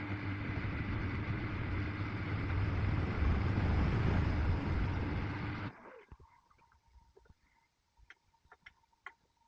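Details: Miele WKG 130 WPS washing machine after shock absorber replacement (fixing vibration and knocking): smooth even drum spin, steady low hum, no banging or knocking; normal spin.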